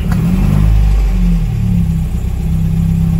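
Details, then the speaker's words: 1958 MGA 1500 in top tune, cold start with choke pulled: deep, throaty four-cylinder catches straight away, revs cleanly and settles without misses; a healthy cold start. "there you go well maybe i'm proving myself wrong we got a beautiful cold start out of this 1958 motor"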